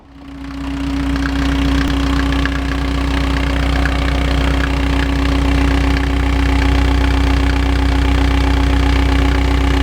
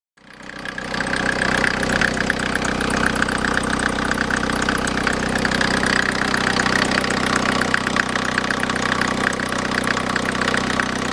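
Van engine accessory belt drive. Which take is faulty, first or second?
second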